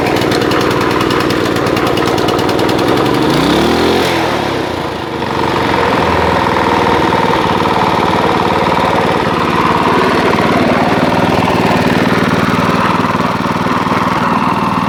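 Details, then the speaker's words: Honda GX160-type petrol water-pump engine that idles but dies when pumping water: an uneven, rattly knocking clatter over the idle. Something rubbing or a worn connecting rod suspected; teardown pending. "ada suara kelotok-kelotoknya ya enggak tahu ini ada yang bersinggungan atau memang stang kistonnya agak guni ya nanti kita bongkar saja ya teman-teman"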